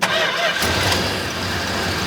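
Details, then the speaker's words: 1969 Dodge Charger General Lee V8, restarted after sitting many years and topped up with transmission fluid (two quarts, low), idling in neutral: fires up and settles into an even, smooth, steady idle with no misses or knocks; normal healthy idle. "it's like a new car look it run so smooth"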